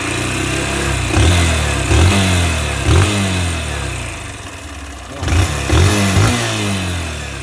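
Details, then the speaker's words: 2025 Honda CG Start 160 motorcycle, 3,349 km, noisy since new: light mechanical clatter from cylinder head rising with throttle blips, worse climbing hills; owner suspects tappet/valve clearance, unconfirmed; top-end ticking. "Acredito eu que seja tucho, aliviado, não sei que pode ser."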